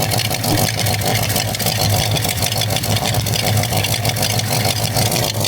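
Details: V8 with new 2.5-inch H-pipe exhaust and two Borla Pro XS mufflers, quiet enough to reveal faults: loud, lumpy idle with uneven pulses and a faint hiss behind the exhaust note; intake vacuum leak, intake must come off to fix.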